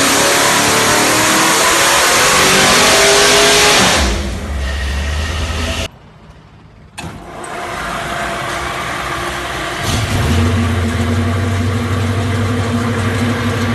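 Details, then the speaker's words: Mild 434ci Pontiac V8, small cam around 600 lift, 600 horsepower: strong even pull to high revs, then drops to a steady choppy, lumpy idle; normal for this engine. "You can hear it idle at the end there, just kind of a chop chop idle. Fairly mild engine."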